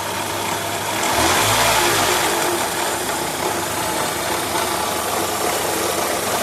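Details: Renault K7M engine at steady idle: faint regular tick about three to four per second over the engine; abnormal extraneous engine noise, source unclear.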